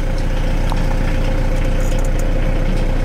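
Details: VW T4 diesel van after repairs, starting on the key, at idle in heavy rain: even diesel clatter about 220 beats a minute, steady and unbroken, with a faint tone above; healthy idle.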